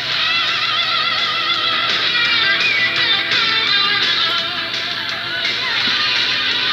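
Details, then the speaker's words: Sanyo M4440 cassette player after repair (all electrolytic capacitors and ICs replaced, new belts, connections resoldered, pinch roller and head cleaned, lubricated), playing a tape; clean steady music with no wow, hiss or crackle, sounding much better. "alright the traffic is playing as you can see it sounds much better now"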